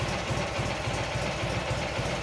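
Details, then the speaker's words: Garden tractor with 20 hp Magnum opposed twin, electric fuel pump added, about 1000–1500 hours: smooth, steady low-pitched idle with evenly spaced pulses, no knocks or misses; normal idle. "can tell this thing just blurs it is an amazing engine"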